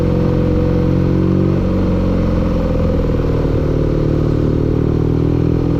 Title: engine knocking